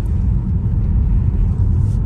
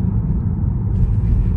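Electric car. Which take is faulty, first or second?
first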